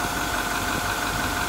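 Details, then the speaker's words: 2010 Workhorse Utilimaster W62 step van, diesel, 104,425 miles, emergency brake on; fires right up into a steady, even, smooth low-rumble idle with no knocks or misses, sounding healthy: normal idle. "as you can hear it's fires right up i've got the emergency brake on that's why the brake lights on but fires right up sounds great again 1500 miles we drove it in can hear that thing burn right along"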